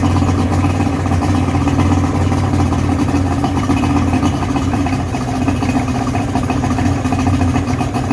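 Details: 55hp Johnson two-stroke three-cylinder outboard, previously submerged, restarted after carb air-fuel adjustment and choke: steady even burble at idle with no misses or surging, no fuel leaking from carbs, running on all three cylinders; normal idle.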